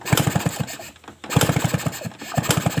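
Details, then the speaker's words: Suzuki RC (RC100) two-stroke, hard to start on mornings: quick bursts of kick-over chuffing in short strings with gaps, never catching. The spark at the plug is present but weak, blamed on an imitation stator coil (spul). "oke Ya teman-teman apinya sudah keluar dari busi tetapi api apinya kurang besar ya Ini karena sudah menggunakan spul yang imitasi"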